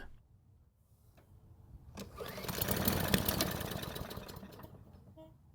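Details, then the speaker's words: Off-brand Garden Line lawn mower, engine made in 2017 (about 7 years old), new spark plug and gasoline sprayed into carb: catches for about a second with uneven putter then dies; weak start. "so this time it started and ran for about a whole second but it didn't sound all that confident about doing it either way"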